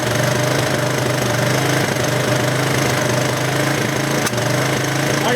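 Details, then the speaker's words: Old Honda with electric start jumped from a battery, held at fast idle on purpose: a rough, uneven beat with occasional sharp pops, misfiring. "I've got it idled up high on purpose. Hear that pop?"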